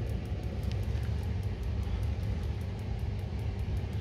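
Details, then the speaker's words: Boiler with pilot tube, two solenoids and HT-lead electronic ignition, locking out: sharp even ticking about four per second over low rumble as igniter sparks but pilot never lights; no spark at pilot, arcing somewhere on HT lead, then lockout. "I can't see the spark I can hear it I cannot see it so it's definitely not happen happening down there yeah no spark there let's move this about oh oh okay so we're definitely arcing out somewhere on that HT lead simple as that"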